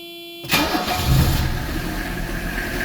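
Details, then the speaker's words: 1985 Mercedes 300D (W123) diesel after fuel filter service, primed by hand pump; brief crank, catches at once into a steady, even idle with no stumble; no air in the system. "See, we're running perfect. There was no air in the system, so it fires up easy."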